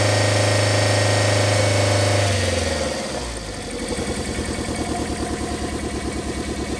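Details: 1990 Toyota Corolla LE 4A-FE at idle: regular uneven chuff, about three stumbles a second, steady misfire from blown head gasket.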